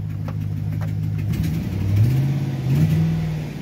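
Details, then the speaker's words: 2009 Chevrolet Silverado after bypassing a failed fuel control module (FSCM), fuel pump run off 12 volts at about 50 percent pressure: clean revs with a steady low rumble, no flooding, sputter or stumble; responsive and running normally. "I don't know we'll see over there it's idling just fine it's not flooding it's not sputtering it'll rev just fine"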